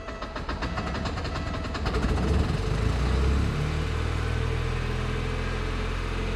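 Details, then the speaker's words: 1987 Porsche 924S, first start after fitting a new Bosch fuel pump: uneven lumpy idle with irregular stumbling pulses, steadying slightly; not firing on all four cylinders, owner suspects injectors, oil light on. "okay [Music] there it is we're not firing on all four"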